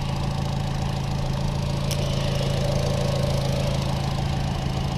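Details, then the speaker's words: Chevy Trax 1.4 (AWD) after an aluminum valve cover was fitted to fix PCV faults that set lean and MAP sensor codes: a steady, even idle with no hiss or sucking noise; fixed and healthy. "she looks pretty cool in my opinion it's a nice ball cover can don't hear that noise anymore but we're fixed now"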